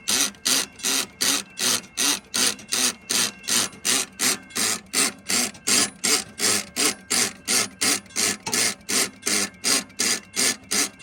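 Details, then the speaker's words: Model 3590 railroad crossing gate mechanism: harsh, rasping clacks repeat evenly about 160 times a minute; loose bottom screw lets plate move so the pawl spaces out, slips off the toothed wheel, causing loud gate pumping. "And there is a component that grabs a tooth of that gear to keep the gate up. And if this is spaced out too far, it'll cause it to slide. And that is what causes that loud pumping malfunction."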